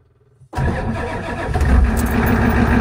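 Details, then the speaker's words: Ford 7.3 IDI diesel just after static injection pump timing adjustment, cranked at 50°F after sitting 24 hours: it catches without throttle and settles into an even diesel idle clatter. Starting is much improved. "oh that's a big Improvement I didn't even have to press accelerate so that's pretty exciting sounds a lot better already"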